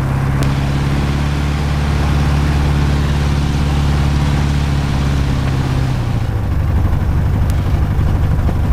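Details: Light aircraft piston engine, ground run-up after plugs cleaned: loud, heavy drone with uneven, lumpy tractor-like beat; rough running with vibration, no mag drop; owner believes not spark plugs this time, cause unknown.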